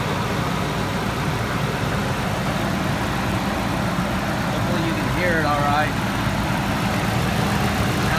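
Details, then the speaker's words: 2000 Ford SVT Lightning supercharged V8 idling, started in neutral, heard from outside: steady deep rumble with faint supercharger whine, no knocks or misses; sounds normal and strong. "normal sounds good sounds strong can here the supercharger wor"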